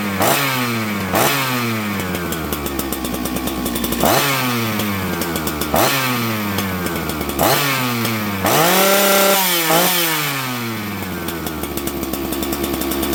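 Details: Husqvarna 266XP auction chainsaw; crisp two-stroke blipping cleanly from idle to full revs and back, tunes beautifully, healthy.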